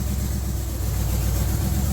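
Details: Budget G-body El Camino with a Gen 3 LS engine on a $90 Amazon standalone wiring harness, running after a ground fault, probably from wires scraping the firewall hole: deep, even V8 burble at idle, no misses, stumbles or hunting; normal idle.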